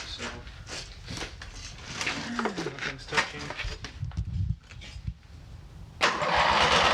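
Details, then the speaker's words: Abandoned MTD mower twin engine, new head gasket on one side, has compression and spark, flooded: repeated cranking with irregular pops and sputters that nearly catch then die; timing off from a sheared flywheel key. "i don't know about you but it actually sounded like it was starting to do so yes it did it's such a [ __ ] teaser"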